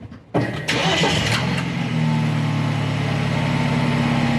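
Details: 2013 BMW 328i xDrive petrol engine cranks, catches with a flare of revs and settles to steady idle while attempting to seat the muffler control valve actuator clip causing exhaust rattle.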